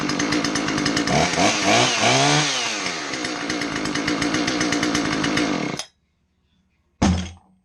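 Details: John Deere CS46 chainsaw after no-start repair: crisp steady buzz revving cleanly up and down, cuts off, then fires again straight away; the saw runs properly.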